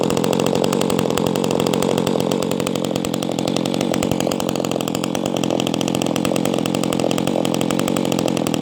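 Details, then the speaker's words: Echo 280E top-handle chainsaw, first start after about 10 years unused: steady, even rapid two-stroke pop with full, deep note, no misses or hunting, good idle without stalling; runs healthy. "she sounds good I love that sound it's a nice deep sound for a small small saw yeah she runs good not bad for not running this whole time"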